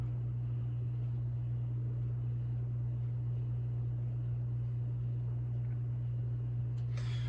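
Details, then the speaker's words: SMC/Galleria 30-inch hugger ceiling fan, new, on factory medium speed in an enclosed resonant spot: steady low motor hum, louder than on high, though improving as the motor breaks in. "you can hear the hum gets a bit louder I think it's actually a little bit better now that it's you know the motor starting to break in and you know the rubber Parts have settled a little bit more but it's it's it's definitely still got a hum to it"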